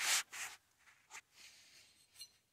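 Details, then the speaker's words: Cub Cadet 1882 PTO after pressing in new Timken 6206 2RS sealed bearings replacing crunchy ones, hand-spun on mock-up: short bursts of soft, even whir fading out with no crunch or grit; bearing turns smoothly. "Nice and smooth. Listen to that."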